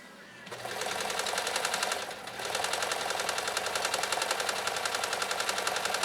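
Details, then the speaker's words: Riccar 2925 sewing machine sewing decorative stitch number nine; rapid, even needle ticking at a constant pace with no knocks or catches, described as silky smooth: normal running. "listen closely for just how silky smooth Maria's Rick or 2925 runs it's just it's it's it's it's magical"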